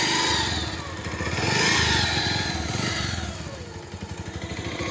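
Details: Bajaj Pulsar 150 single-cylinder bike revving up and down with a rough, rattly clatter over the exhaust note; engine sound problem, abnormal engine noise.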